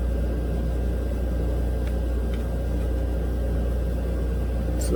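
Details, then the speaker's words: 2007 Honda Accord 2.4 L DOHC four-cylinder, cranked with the injectors unplugged, drawing about 175–200 A on a battery that passes load testing: steady, sluggish churning with no firing; slow rough cranking from a failing starter, which was replaced. "now that cranks pretty slow it sounds pretty rough"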